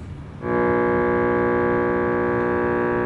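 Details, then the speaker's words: Hughes & Kettner Matrix 100 guitar amp head: near-silent hiss, then a loud steady multi-tone buzz once plugged in; suspected faulty power supply to the digital section, likely a supply chip. "there's your noise. That's the power supply up to this matrix of stuff, which isn't working, by the way."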